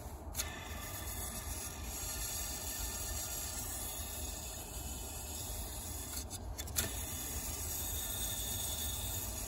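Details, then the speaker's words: Furnace's old inducer motor, part HC21ZE121A, fan spun: steady gritty rubbing whir with light clicks from dry, worn bearings; motor being replaced. "can hear the bearings are drying out"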